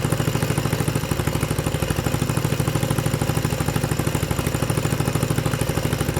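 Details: 6.5hp generator engine converted for a go-kart with the Honda GX120 carb and exhaust and a clutch fitted: an even single-cylinder putter of about three beats per second, steady and regular, with no misses or knocks. Normal idle.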